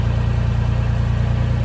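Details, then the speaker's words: Blown-up Honda Beat engine started on a suspected bad bearing, fresh oil and filter: rapid, hard, evenly spaced deep thumping at idle, heard from underneath; sounds like a bottom-end knock, suspected, not confirmed, nothing felt at oil pan. "I'm not entirely sure cuz I don't know what this engine sounds like good however it sounds like bottom end you want to lay under it so we can see where it's coming from"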